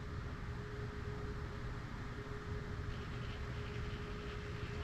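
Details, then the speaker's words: Cirrus autopilot/trim servo bench-tested with slowly increased supply voltage during Avidyne Vantage incoming equipment test: faint motor hum with a rough gritty grind as it starts at about 5.7 V, too high a starting voltage; servo needs replacement. "You can just hear it starting to grind away in there. And that's that's too high. So that servo is going to need to be replaced."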